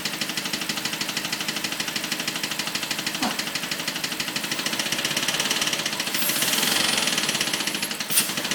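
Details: BMW 545 V8 at idle: steady, sharp, light ticking about three times a second from the top of the engine, constant throughout; cause unknown.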